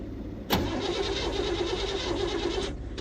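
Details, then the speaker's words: 1972 Chevrolet C10 shop truck on ether with the fuel tank disconnected, before a timing adjustment: a loud pop, then about two seconds of steady cranking that never catches. "so we have fire that's the longest it ran it ran uh I don't know what's in the fuel tank so I've got that disconnected"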